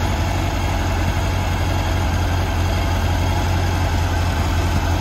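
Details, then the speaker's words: 1979 VW Beetle convertible, fuel-injected, new pointless distributor cap, injectors done: low lumpy idle with uneven wandering pulse, not idling smooth; vacuum leak from a cracked intake elbow suspected by others, not confirmed. "but it's just it's almost there hear it no it doesn't really idle real smooth"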